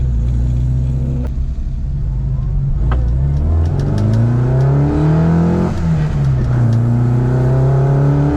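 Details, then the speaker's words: Classic Mini with twin SU carburetor conversion on its first drive, idle set slightly high, plugs suspected fouled after a cut-out and throttle cable sticking: crisp, even revs climbing and dropping through the gears without misfire; healthy. "Oh, that sounds lovely."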